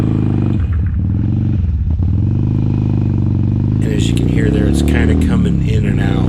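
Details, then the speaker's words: 2007 Harley Sportster 1200 V-twin riding on one cylinder: uneven beat stumbles, then catches with a burp as revs climb; front cylinder cutting in and out intermittently, owner suspects an electronic rather than mechanical fault. "it'll work for a little bit and then it doesn't just goes dead that kind of leads me to believe that it's something electronic definitely not a mechanical thing"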